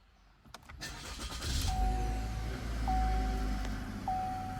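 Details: 2022 Chevy Malibu 1.5T with about 65,000 miles, after fixing a no-start by installing a new replacement part: a few quick cranks, then it fires and settles into a smooth idle while a door chime dings; normal start and idle.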